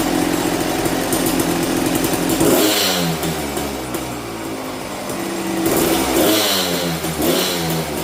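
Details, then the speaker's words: 1998 Kawasaki KX250 two-stroke, formerly a no-start after a crash, running after repair (low spark found) on 40:1 premix. It is kick-started and fires cleanly, with crisp throttle blips rising and falling smoothly: it starts and runs properly. "Well, she's running, everything's working."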